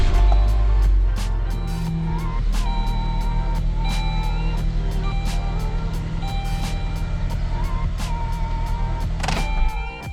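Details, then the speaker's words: 2004 Saturn Ion after replacing the dead, new-looking battery: short crank catches at about one second, then a steady low idle under cabin music; normal start. "So there it is, man, we good. Battery was dead, which was odd, and I thought it was gonna charge because the battery looked brand new."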